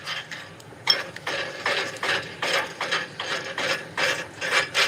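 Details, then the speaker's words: Front wheel of car after engine replacement turned by hand, rough ratcheting grind in uneven bursts, wheel moving badly: worn front wheel bearing. "Yep, that's a front wheel bearing."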